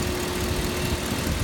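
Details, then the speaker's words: Stock 2006 Chevy LQ4 6.0L LS V8 from a cab-fire truck, mileage unknown but assumed mid. Steady, quiet V8 idle with a smooth low rumble and no knocks or misses, with a faint waste oil burner roar behind it. The engine is healthy and not blown. "sometimes people burn their vehicles because they've blown the engines well that's definitely not the case here right it's nice and quiet"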